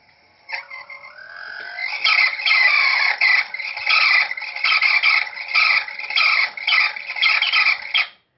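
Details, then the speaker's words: Electric Eel Wheel 5 spinning wheel drive motor, turning: a high, pulsing screech that warbles at a steady rate with nothing low underneath; the motor has failed and needs replacing. "here's a video a user sent in of a motor that has failed okay this is the noise it makes when it's just turning"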